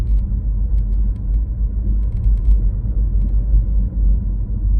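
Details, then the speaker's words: BMW i3 while driving: faint, irregular light ticks and rattles over heavy low road rumble, a common dashboard rattle around the glovebox lid area. "there's one rattle that we hear a lot and we we have to fix quite often on i3s and that is the dashboard area so rattle comes from around here"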